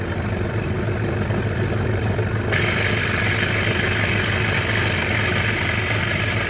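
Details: 1993 Johnson 15 hp tiller two-stroke outboard after a carburetor clean: steady, even burble with a constant low beat, no misses or surging; normal running, starts right up every time.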